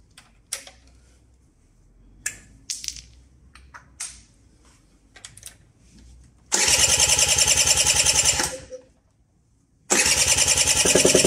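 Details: Cranks but won't start: 2013 Mobylette Fox with electric starter cranks briskly in two bursts, about three and a half turns a second, never catching; spark plug found full of oil, spark and fuel supply being checked.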